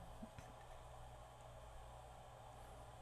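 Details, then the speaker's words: Tozai mini boombox cassette that played slow, after belt replacement, running on 3 volts: quiet steady hum with no dragging or speed wobble; tape drive now turns evenly with much more torque. "I'm working much, much better. Got a lot of torque now."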